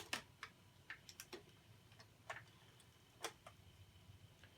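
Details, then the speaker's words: BSR C129R2 record changer, after cleaning and greasing, dropping records one at a time with light clicks and no grinding or scraping, working as it should. "And when you have everything set right, it should just be dropping one at a time."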